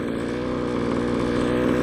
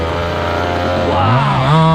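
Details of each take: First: Stock 1:5 scale RC car: the small two-stroke holds a fast, steady buzzing idle with even pulses and no hunting or sag. Owner says the idle is now good. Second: Stock 1:5 scale RC car during carburetor tuning, after leaning it out slightly: small single-cylinder buzzes at a fast, high idle between throttle blips, settling back too high. Idle set too high; owner turns it down.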